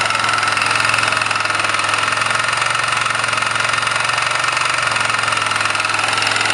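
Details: Engine knock at idle on a 1999 Kawasaki Bayou 220 single-cylinder ATV: sharp, rapid knock on every firing pulse; cause not confirmed.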